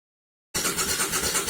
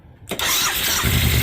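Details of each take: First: 2000 Suzuki VL1500 Intruder LC, sat 10 years, new battery, Seafoam added, fuel pump pressurized: two long bursts of fast cranking with brief stumbles, won't keep running; gas spitting from the carburetor area, owner believes floats overfilling the bowls. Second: 2000 Suzuki VL1500 Intruder LC V-twin, sat 10 years, first start after new battery, Seafoam in the tank and professionally rebuilt carburetors: quick catch on the starter, then firm, even lumpy idle, no sputter, no fuel spitting; healthy start.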